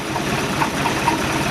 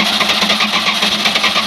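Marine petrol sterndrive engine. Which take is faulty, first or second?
second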